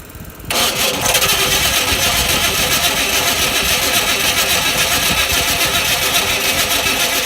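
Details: 1995 Chevy Caprice parked almost 3 years, battery charging: starter whirs steadily, about three or four turns a second, but the engine never catches or fires after pumping gas and priming; crank no start, cause undetermined, owner plans to pour fuel in.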